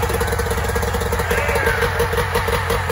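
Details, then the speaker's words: 1994 Mariner 30 hp two-stroke outboard, run in a bucket after a carb clean and a lower-unit service with new water pump: idles steadily with an even, quick popping beat and revs up properly; healthy. "all right it's running okay that's a good sign she revs up when she's supposed to"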